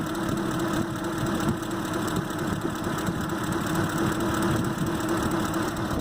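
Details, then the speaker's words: 2005 Ford Expedition 5.4L (engine from a 2008) misfire: lumpy uneven idle with dull stumble; engine computer coil drivers for cylinders 7 and 8 show no signal, computer needs replacement. "estamos en la 8 del trébol 8 como pueden ver estamos conectados y no hay señal de vida aquí"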